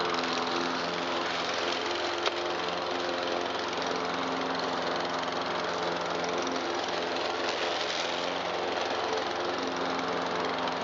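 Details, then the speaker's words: 2009 Troy-Bilt XP 12AI839G211 mower with Briggs 111P02 engine, after repair of no-start: steady even engine drone, constant pitch, no misses or knocks; running smoothly. "Alright, one 2009 Troy-Bilt XP lawnmower with 4-speed select speed transmission back alive."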